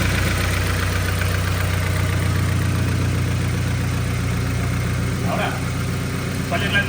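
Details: 2013 Subaru Impreza 2.0 non-turbo after diagnosing a misfire traced to spark-plug arcing marks and clearing codes: even, steady low idle with no stumble or skipped beats; firing smoothly on all cylinders.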